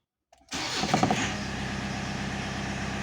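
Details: 2.0 turbo diesel Rover with mechanical injection pump, hard starting cured, started cold without preheating, no coolant in engine: silence, then it catches at once and settles into steady, even idle; starting healthy.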